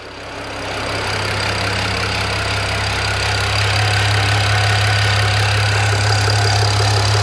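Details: BMW E92 335i after swap to a used E90 engine (head rebuilt, all 24 valves lapped after a cylinder 4 exhaust valve fault), at idle: thin high whir over the even beat; owner first suspected drive belt, alternator found extremely hot.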